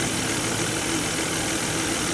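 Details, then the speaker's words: 2003 Volvo XC90, about 165,000–173,000 miles, sold for scrap: rough uneven idle with noisy drone, steering wheel vibrating; light misfire, cause unknown, also electrical draw noted. "it sounds like it sounds like he's got a misfire the steering wheels vibrate this sounds like he's got a miss"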